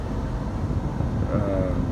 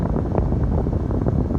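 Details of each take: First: Foton Tunland 4x4 double cab, 2.8 Cummins ISF diesel, blower resistor removed to simulate failure: nothing on speeds 1–3, huffing airflow only on speed 4, then sharp cutoff; blown blower motor resistor leaves only top speed. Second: Foton Tunland 4x4 double cab, 2.8 Cummins ISF diesel, engine running, aircon off, cabin blower stepped through speeds 2 and 3: steady huffing air rush, no rattle or squeal; normal blower operation.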